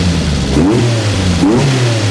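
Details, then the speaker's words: Renault R8 Gordini, freshly rebuilt engine on its first start-up and not yet run in: two crisp throttle blips rise and fall cleanly from a very stable, round idle with no stumble. Normal running. "là comme vous l'entendez on a un ralenti qui est plutôt très stable là il tourne plutôt bien rond alors qu'il est encore tout neuf"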